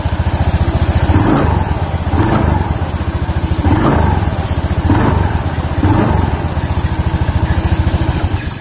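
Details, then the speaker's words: Honda Beat scooter with open CVT cover: on revving, a faint crackle rides each rev and the shaft area wobbles slightly; the noise comes from the pulley, not the bearing first suspected, likely worn bearings between the pulley halves. "Pada saat digas ada bunyi kretek-kretek sedikit dan di sini agak goyang."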